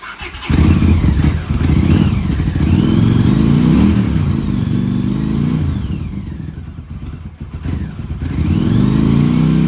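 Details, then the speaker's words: Honda CX500 Turbo 1980s motorcycle, just revived: uneven revving with a chuffing, puffing note on each throttle blip; exhaust leak suspected, unsure whether at the turbo or the exhaust; not confirmed. "I can hear an exhaust blow. I don't know if it's the turbo or the exhaust, but I can hear the blow."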